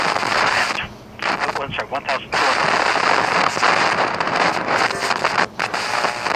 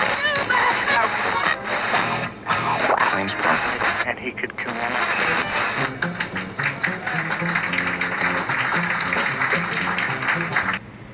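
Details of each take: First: so that scary noise that you're hearing is due to oxidation of the tuning contacts inside of the condenser assembly of a tuner Second: FM tuner after cleaning its oxidized tuning condenser contacts with DeoxIT D5, RF not yet realigned: a station's music and voice play steadily with no crackle, pops or dropouts, now tunable.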